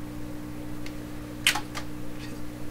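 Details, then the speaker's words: 1928 RCA Victor Model 28V radio: steady low mains-frequency hum with faint overtones under light clicks; probably 60-cycle power-supply hum, possibly amplified into garble on stations. Cause not confirmed. "That hum? That's probably power supply hum."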